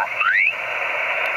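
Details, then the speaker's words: Repaired MFJ-941E antenna tuner, radio on 7 MHz lower sideband with a 14 MHz antenna, capacitors turned for maximum noise: steady hiss with short sweeping whistle as noise rises to a peak; tuner matches properly. "turn this capacitor for max noise you can hear that shifting sound and we adjusted these two capacitors for max noise"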